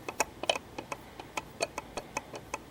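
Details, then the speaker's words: Lenovo G40 laptop fan (Sunon maglev, 5 V) spun by hand: light uneven ticking at about five or six clicks a second from a fan with lots of play; worn fan bearing, replaced with new fan. "fan had a lot of play in it and he used to make this god awful noise when it was spin it was very very"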